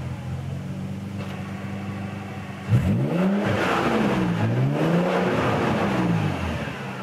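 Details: Nissan 300ZX twin turbo with a new 98+ J-spec OEM manual transmission at 3,000 miles on Redline MT-85 fluid. Whine rises and falls with revs; faint in neutral from installation, now loud in low gear and on decel in 1st. Gearbox at fault.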